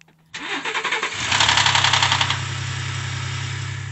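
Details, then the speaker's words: Ford 3.5L EcoBoost V6 start (2013-2021 cold-start rattle): brief clattering rattle fading into steady idle within a second from failing cam phasers/timing components; workaround is cranking with throttle floored before starting. "with the old EcoBoost so I'm going to show you a quick little trick if you ever start your EcoBoost and it claps"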